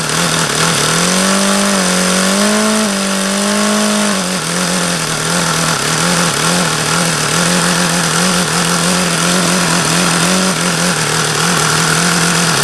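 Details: HP VT 21 rotary-valve four-stroke model engine, not overly hot: high fast buzz that wavers a little before settling, about the lowest idle ever achieved. Owner believes the low-speed mixture is still rich and keeps leaning the needle.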